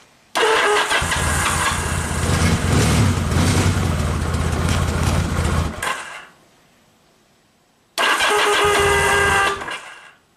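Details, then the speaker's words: 1979 Yamaha XS750 cranking on electric start with choke, fresh AGM battery dropping to 10.6 V from a suspected charging-system voltage drop: two cranking bursts about four beats a second that never catch, too little voltage to fire ignition coils. "give it a little choke so 10.6 it doesn't have enough juice to actually fire the ignition coil and the headlight you know stays on"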